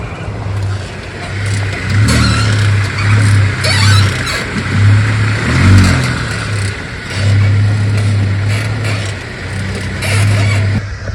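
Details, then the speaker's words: Jeep: slow, repeating high squeak under low vehicle rumble from dry lower ball joints; the remedy is greasing with a grease gun. "so in this video I'm gonna show you for any Jeep owners out there when you have this slow squeaky problem underneath your car this is exactly what you have to do"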